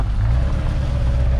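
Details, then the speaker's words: Chevrolet Duramax LB7 diesel pickup with lope tune, at full throttle: smooth even rumble holding steady with no stumble or skip; engine running cleanly. "Oh yeah. Oh, and this thing's got a fancy lope tune. That's sick."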